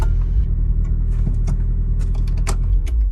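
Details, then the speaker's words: 2003 Land Rover Freelander 1.8, after the starter was stripped, cleaned and greased: a brief starter whirr, then a steady idle with no lingering bendix gear grinding, so the overrun is fixed. "And here's the noise of it starting, or rather making no noise after the initial starter motor engages, so the problem is fixed."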